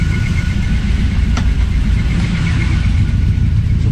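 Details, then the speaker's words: C3 Corvette V8 idling with glass-pack side-pipe mufflers: a faint, thin, high squeak pulses steadily over the lumpy idle. Owner suspects a squeaking pulley on the alternator, power steering or water pump; everything else works. "I think I've got a uh alternator or power steering or water pump. I got a pulley that's squeaking on me. Everything seems to be working fine, but one of them squeaking."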